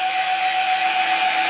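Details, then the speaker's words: Cheap TB6600 analog stepper driver swapped in for a DM556, no microstepping: it hisses even while holding and steps roughly at low speed, but at high rpm the stepper gives a steady mid-pitch whine over hiss and runs acceptably. "it's kind of noisy [Applause] it's pretty okay on high rpm"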